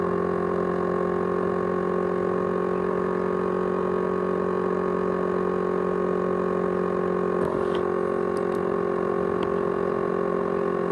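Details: 500GB hard drive from an ASUS X543UA laptop, used as a USB drive: a loud, steady jet-like whirring drone with faint ticks and rattling. The drive runs noisily; cause unknown.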